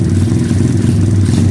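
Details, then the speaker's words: 2013 SSR 110cc full-manual single-cylinder pit bike: a fast, even idle that never settles, finicky because the wrong throttle cable is fitted and sticks. The bike also runs rich and smoky, and the owner says the ignition coil needs replacing. "so I don't know just a little finicky though just cuz that's just a bottle cable guys it's so bad"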